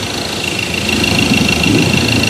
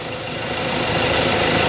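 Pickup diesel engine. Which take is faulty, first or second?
first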